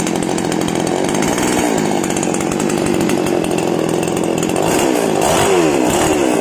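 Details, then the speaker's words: Small single-cylinder outboard motor warmed up after a gearbox oil change, about two months' use and previously sounding rough, oil suspected: steady buzz at high revs with slight speed swells, even and smooth; running well. "Kemudian kita akan memanaskan mesinnya. Alhamdulillah, ini bagus sekali."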